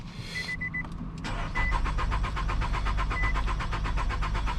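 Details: Nissan Altima 2.5 during a fuel pump diagnosis: a door chime, then steady starter cranking at about four compressions a second with no catch; it cranks but won't fire.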